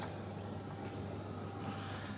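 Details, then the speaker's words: Miele T8929 WP heat pump clothes dryer restarted with a few items inside after an adjust-load error: low steady hum with soft tumbling, no squeak or rubbing; earlier squeak gone under load, very quiet, normal running. "man i'll tell you what it certainly is it's really really quiet hey it's so quiet"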